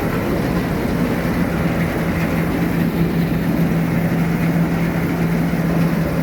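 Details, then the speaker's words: Combine harvester being readied for harvest: even, deep diesel drone with a steady low hum and no knocks or misses; started straight up and runs cleanly. "Nice running machine, started straight up."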